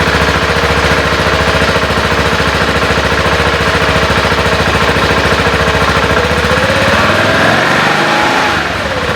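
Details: 2014 BMW G 650 GS single-cylinder at idle after a DIY valve adjustment (shims) done over a noise the owner had been hearing. Even firing with a light top-end tick and no misses or stumbles; the owner says it idles better now.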